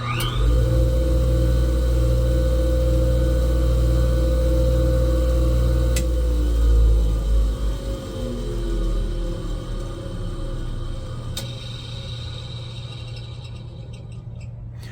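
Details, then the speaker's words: 1977 Wissota S8-B grinder, 2.2 A ball-bearing induction motor on a vacuum hood: even electric hum at startup, then a sharp click of the centrifugal clutch as it winds down; healthy. "You can hear the starter on it. The click is centrifugal clutch."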